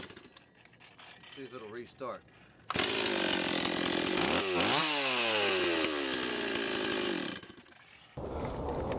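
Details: Stihl 026 chainsaw rebuilt from a low-compression non-runner, with rebuilt and tuned carburetor: quiet handling, then a sharp two-stroke buzz climbs and falls smoothly through the revs before cutting off. Normal running.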